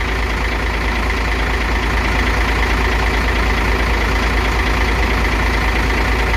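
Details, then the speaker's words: Hino FC8J truck, JO8E six-cylinder diesel, 600,000 km, idling after its first valve adjustment (clearances had been up to 0.50/0.60 mm against 0.30 intake, 0.45 exhaust). Deep, even beat with no valvetrain ticking; now smooth and quieter. "เครื่องเดินเรียบนะครับครับใช้เสียงอีกฝั่งนึงนะครับเสียงก็เดินเครื่องเดินเรียบเสียงเงียบลงนะครับหลังจากตั้งวาล์วเสร็จ"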